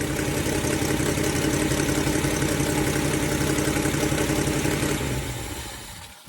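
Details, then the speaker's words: Ford Falcon 289 V8 idling during a cooling-system flush for rust-caused overheating: loud steady idle with a sharp regular puffing tick about four per second; owner remarks on how bad the exhaust leak is now. "Wow, what an exhaust leak I got now. Gee whiz."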